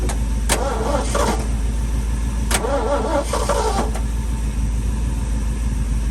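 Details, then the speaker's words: Long-stored sentimental old V8 truck: slow, even starter churning at about two turns a second with no catch, as fuel drained back during storage slowly refills. "the fuel is so far down this always does this when this truck sits for a long time and then it lights up we're going to get it i i know we are let's try it again wow"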